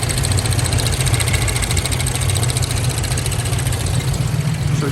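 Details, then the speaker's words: 1997 Lincoln Town Car Signature, sat 2 years after timing chain failure: loud lumpy stumbling idle under heavy rumble, half the cylinders not firing; coils spark but unplugging coils changes nothing; fuel starvation suspected, plugs next. "of fire coming out of these coils but when we pulled the number one or that first one it comes over here and there's nothing it doesn't change the way the motor runs at all"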